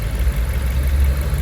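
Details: Fiat Freemont, warm, after replacing leaking thermostat housing (cylinder head near housing reaching ~108 °C): steady, even low rumble with no knocks, ticks or misses; idles smoothly, healthy.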